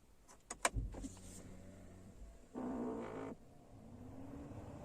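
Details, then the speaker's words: New car engine switched off while the front AC vents blow no air, only slightly at the footwell; a few clicks then a short motor whir under a second, like a flap actuator moving; whirring after engine off, cause unconfirmed. "अब मैं गाड़ी को इस situation में बंद कर देता हूं इंजन ऑफ कर देता हूं है अब देखिए आपको वह साउंड हल्का सा आया होगा"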